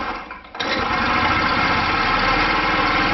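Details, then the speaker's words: Scooter single-cylinder kick-started after cleaned carburetor reconnected, fault was wrong camshaft timing marks: one kick catches at once, quick even patter with no misses or knocks, runs well on throttle; normal start and idle. "Видите, заводится хорошо под газовую скутер работает отлично! Проблема была в неправильно выставленной разметке распредвала."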